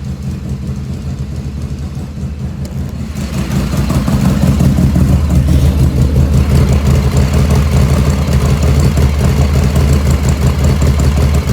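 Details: 1985 Harley FXRS Evo, freshly reassembled with carb chokes lined up and idle jet "pretty damn close": deep, steady V-twin lope that settles evenly after a blip, no stumbling or popping; normal idle.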